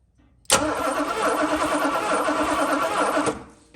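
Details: 1982 Mercedes 380SL cranked by remote button with the original ignition equipment refitted and the fuel pump relay removed, so spark only: the engine turns over evenly for about three seconds. Normal cranking, spark confirmed.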